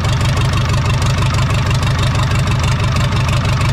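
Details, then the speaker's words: 1980s Komatsu D31S track loader, Cummins 4D105-3 diesel, after replacing cracked fuel line using fuel filter as union, small pinhole leak remaining, blow-by noted; deep, steady chug at even idle, no misses or knocks; normal idle. "Oh yeah, it's definitely there. Now, aside from that small fuel leak, the engine is turnkey."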